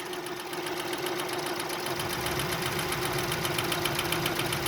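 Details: Petrol engine idling five minutes after adding Rislone engine treatment with five quarts of oil, car not yet driven: light, steady top-end tick about three to four a second, quieter than before — hydraulic lifter tick.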